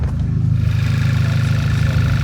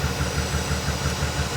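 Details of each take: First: Auction car engine with 130,000 km, warm idle: low, smooth, even idle with no knocks or ticks; sounds really healthy, no oil leaks, rocker cover sealed. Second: Auction car V12 at idle: lumpy, stumbling beat every few firings instead of a smooth burble; definitely misfiring, owner suspects a vacuum leak at the top of the engine, runs better but not great when checked.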